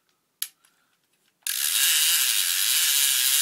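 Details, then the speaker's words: Daiwa Saltiga Ishidai SA-40 fishing reel, clicker works only with line counter switched on: quiet, then loud fast high-pitched clicking rattle as line pays out; normal clicker operation. "I'll show you the clicker only works when you turn the line line counter on so I'm going to turn it on right here"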